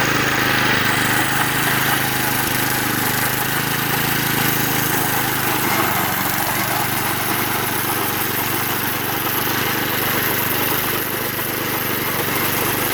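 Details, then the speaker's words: Vintage (likely 1970s) McLane 20-inch reel mower with a Briggs & Stratton engine, revived after sitting about 14–15 years, holds a steady even buzz with the reel turning. It runs normally; the reel needs tightening and has a bad bearing. "okay well success kind of this thing is actually made to cut really you know maintain a really short yard"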